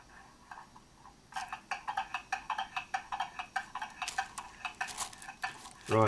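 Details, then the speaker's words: German mantle clock movement during a service, out of its case, pendulum on, going train wound, pallets oiled, beat amplifier attached: crisp amplified ticks about four a second, tick and tock unevenly spaced; out of beat, needs adjusting. "that needs to be adjusted"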